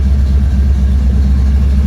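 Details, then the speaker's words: 1977 Mustang Cobra II V8, bought as a blown motor, owner wondered about a rod bearing: deep, even idle rumble with steady beat and no ticking or knocking; engine sounds smooth and healthy. "Freaking nuts. I feel like there's nothing wrong with it. Like, listen how smooth this thing is."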